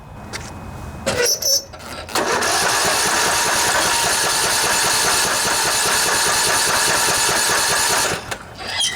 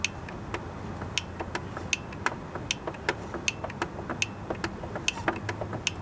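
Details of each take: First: Poulan Pro riding mower, Briggs & Stratton Intek 19.5 hp: steady even starter churn for about six seconds with no catch, pop or sputter; cranks but won't start. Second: Poulan Pro riding mower with a Briggs & Stratton Intech 19.5 hp engine that would not start. After spray cleaning, the fuel (anti-backfire) solenoid under the carburetor gives crisp clicks at key on and off with the engine not running; the solenoid works again.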